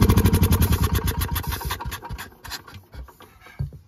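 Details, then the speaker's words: Gravely Promaster 50 tractor, sitting two years, carb cleaner sprayed in, choke cable frozen: rhythmic cranking at roughly three pulses a second, a few weak catches, then it fades without starting; owner suspects lost spark. "Close. I feel like we just lost our spark for some reason."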